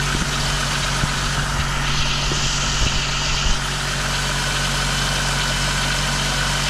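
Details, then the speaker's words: 2000 VW Eurovan idling on a cold ~20° morning after replacing noisy-bearing A/C compressor and swapping clutch, A/C not yet on: steady even idle, smooth low hum, no squeak or chirp from belt drive; bearing noise gone. "all righty everything looks good getting nice and free nice and quiet"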